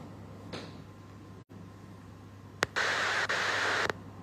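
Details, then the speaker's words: Car audio: Android head unit powering back on while the amplifier is already on; sharp single pop through the speakers then hiss, a turn-on timing fault that can be very loud in the car. "所以这种pop声哦，在你的车会很大声的，老板。"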